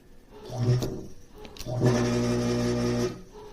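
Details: Frigidaire Gallery Professional dishwasher wash pump motor, bench-tested on a 110 V cable after repair: steady low hum, even pump whir in two brief runs, no rattle or grinding; motor runs fine.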